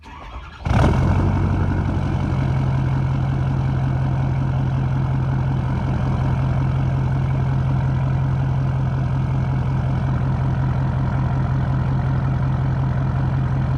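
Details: 2012 Ford F550 6.7L Powerstroke diesel with full exhaust, mic 16 inches from the tips: cranks, catches and settles into a steady low rumbling idle, even note, no misses; healthy.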